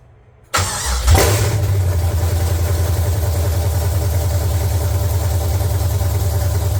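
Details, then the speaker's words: LQ9 V8 swapped into a BMW E36, started again after the build, open headers, no coolant yet: fires with a quick flare, then settles into a loud, steady, even idle; runs cleanly. "all right guys yeah you saw it she started she runs"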